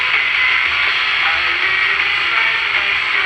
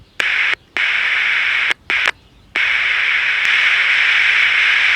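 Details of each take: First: Philco T66 pocket AM transistor radio, after finding the missing slug in a converter coil core and refitting the original Philco transistor: the antenna trimmer now peaks and an oldies station plays clear and steady, with no fading or crackle. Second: Philco T66 or Zenith Royal 80 pocket AM transistor radio under repair, oscillator running at the low end of the band and the volume control bypassed: a steady hiss cuts in and out, no station tunes, and the signal tracer finds no output from the first IF transistor.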